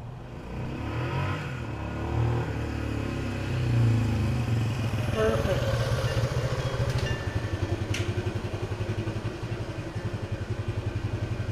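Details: Restored 1976 Honda XL175 single, first ride after restoration with the clutch adjuster just set: thump picks up smoothly as the clutch takes up, revs building cleanly with no slip flare; normal engagement and acceleration.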